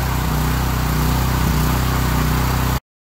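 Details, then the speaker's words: Briggs and Stratton generator running inside a home-built OSB and rock wool quiet box: deep, steady, even, muffled thrum, significantly quieter, likened to a Honda 3000; exhaust outlet still needs refining. "I don't have a decibel meter I can't measure it right now but I don't have to yell at you and it almost sounds like one of those Honda 3000 shows sounds like it's muffled"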